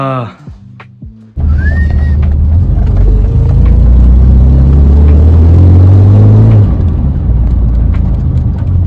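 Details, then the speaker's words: BMW E28 just after an oil change and valve (tappet) adjustment to cure tappet noise: engine starts and settles to a steady, even idle with no top-end tapping, though the exhaust is blowing; valvetrain now quiet. "But as you can hear, not major taper noises. Motor's very quiet now."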